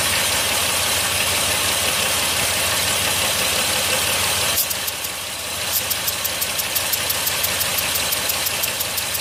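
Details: 2008 Chrysler Town & Country 3.3 V6: sharp ticking about three times a second with an uneven beat. Cranking compression 165 psi, snap throttle 90 psi, leakdown normal, head gasket and valve springs replaced. Intermittent cylinder misfire, solved by replacing the lifters.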